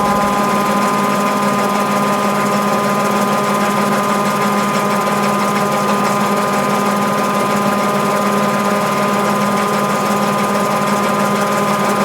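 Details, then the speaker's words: Mabe 18 kg washer with its pulley and agitator gears properly engaged: a smooth, even whirring hum with no knocks, the thermoactuator and drain pump powered at 110 V throughout spin; a normal spin cycle. "de tal forma que cuando estos dos engranes están ensamblados correctamente entonces la lavadora tiene las condiciones necesarias para comenzar a centrifugar así como lo estamos viendo en la reproducción del vídeo"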